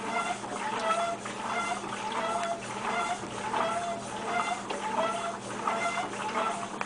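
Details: Maytag Centennial MVWC300XW top-load washer: a rhythmic, squawking screech with each agitation stroke over a steady low hum. It screeches during the first wash cycle, then seems to stop.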